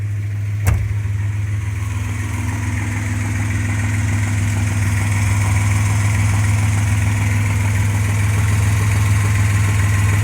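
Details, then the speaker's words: 1995 Suzuki Escudo, H20A engine, warm idle: steady low drone with faint, fairly even knock about three per second; no knock cold, appears when hot, worsens with revs, owner wonders about bearings, cause unconfirmed. "реве двигателя получается на холодную не стучит на горячую стук какой-то появился"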